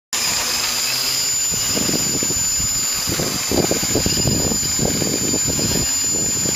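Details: Engine running loud and high-pitched with rapid irregular clicks and pops over it; cause of the clicking or popping not identified.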